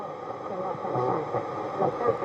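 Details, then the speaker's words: Sony CRF-5090 Earth Orbiter receiver, bought as a non-worker and never serviced, on the FM band: muffled, smeared voices and hiss run together with no clear station. Garbled, very distorted reception; the cause is unknown, and a recap is suggested. "That doesn't sound good. That sounds like all the stations are... That sounds like all the stations are garbled in together."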